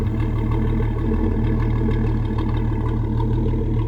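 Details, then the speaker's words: 1981 Ford Mustang, 200 inline-six, C4 automatic, new exhaust with the H-pipe removed, after a cold start with the choke kicked down: deep, even exhaust burble at a steady cold idle with no misses or ticks while it warms up. "So yeah, I was able to kick it down, and now she's still a little cold to try and rev her out, but it just sounds really amazing."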